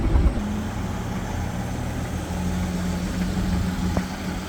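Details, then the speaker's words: 1962 Ford Falcon, 200ci with T5 swap and Holley Sniper, cruising about 60 mph (about 2100 rpm at 65): smooth, even low exhaust hum, no ticking, rattle or blowing; normal exhaust note. "Exhaust sounds good."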